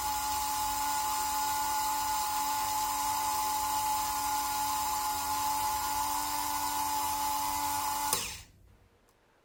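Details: Märklin 7186 turntable, previously sluggish clockwise and stalling, after repair with Märklin oil on cogs, run both directions: smooth steady mid-pitched hum, even speed until switched off; normal motor running.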